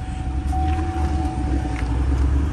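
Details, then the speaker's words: Cadillac CTS-V3 LT4 6.2L supercharged direct-injection V8 at idle, smoking and smelling of fuel: deep lumpy, unsteady rumble under faint whine; rough idle misfire from stuck/leaking fuel injectors, two later replaced. "so you can hear it's running a little rough like if it's misfiring"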